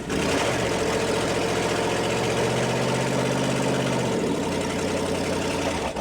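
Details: International 345 V8 at first start-up after reassembly, timing set by ear: steady, fairly deep idle with a slightly loping, uneven beat; holds idle, but the carburetor needs tuning.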